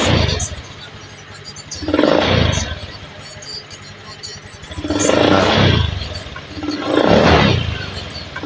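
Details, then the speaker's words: Honda Scoopy eSP scooter that stuttered and lacked climbing power, after component replacement and reset; three clean rev swells, rising and falling smoothly without stumble; throttle lighter and more responsive: normal revving. "Oke, tarikan lebih enteng nih mas, tarikan kayaknya lebih responsif ya."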